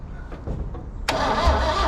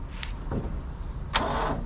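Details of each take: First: Car cranked with a VTOMAN 2000A jump starter pack: even, fast crank of about three beats a second holding steady without slowing; strong cranking, pack did not overload, dropping 88% to 84%. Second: Small engine starting on a weak battery after a VTOMAN 2000A jump starter was removed: sluggish, labouring crank with low, uneven churn and no catch.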